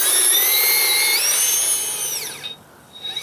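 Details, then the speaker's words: Holmes Hobbies Revolver 540 motor in RC crawler on 3S, geared low, run outside: high whine climbing with throttle to full, mild metallic turbo-like sound, gear mesh louder than motor, quieter than before; normal gear whine. "it has a very very mild metallic sound to it it just sounds like the beginning of a turbo spooling up and it doesn't get much louder than that as I increase you can hear the gear ears more than you can hear the"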